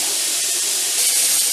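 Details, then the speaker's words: Mirro pressure canner processing raw-pack corn in 500 ml jars at 15 psi (above 1,000 ft), after 10 minutes of venting, now with the 15 lb weight on: steady, even high-pitched hiss and jiggling, normal steam venting. "So I'm sure you can hear the hissing. You can see it's jiggling."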